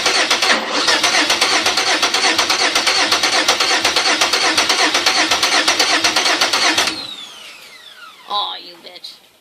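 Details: Car with a new engine and bigger injectors: the starter churns at an even beat of about three a second for seven seconds, never catches, then cuts off. It cranks but won't start.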